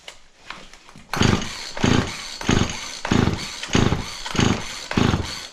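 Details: Auction-bought Husqvarna 36 chainsaw with 16-inch bar, cranked on choke: repeated pull-cord surges about once a second, each a short sputter that never catches. A hard start; spark was later confirmed.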